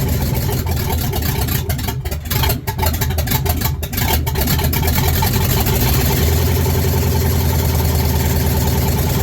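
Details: Ford Ranger with a newly installed V8 on open headers, first start: loud, uneven idle with stumbles and dips from a dead cylinder, #8 injector unplugged and the PCV left disconnected.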